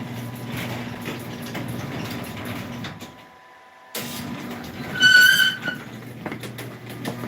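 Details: Sears garage door opener, second unit being tested at install: motor drones steadily, cuts out for a second, then restarts with a brief high squeal; source of the noise unknown, down limit still needs adjusting.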